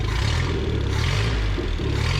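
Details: 1974 Datsun 620 pickup four-cylinder, revived after 45 years parked, carburettor cleaned and tuned with delete kit: steady, fast, even patter low down, no knocks or misses; running well, though the alternator is not charging.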